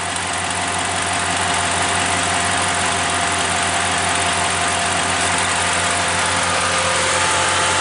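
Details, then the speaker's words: 2015 Ram 1500 idling with A/C compressor clutch jumpered, fully engaged: steady even idle with constant mechanical hum, no knocks or squeal; air ice cold, compressor working, faulty connector to be fixed. "nice and cold so compressor is working much seems to be working"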